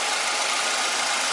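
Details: 1998 Ford Escort after rebuilt head installation (intake valve seat failure with piston damage): smooth, even idle with a steady hum and no knock or miss. The engine sounds healthy.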